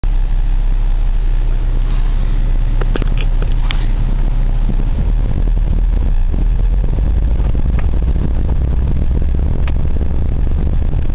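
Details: Daewoo Lanos driving over bumps: heavy low road rumble with sharp, irregular knocks coming through the suspension while driving, pointing to a loose suspension part.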